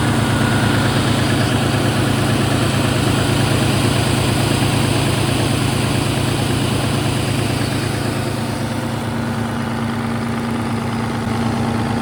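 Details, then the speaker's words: Worn-out Caterpillar diesel (3408/3412), stripped of extra wiring, warming up: deep, steady rumble with an even beat around three per second, no knocks or misses, settling smoothly at idle. "Well, it runs pretty good for a wore out piece"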